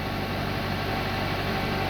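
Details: Smooth, even idle with no belt squeal from a 2012 Hyundai Accent 1.6L GDI Gamma petrol engine, after replacing the worn idler pulley that caused a loud squeal on startup and re-tensioning the belt.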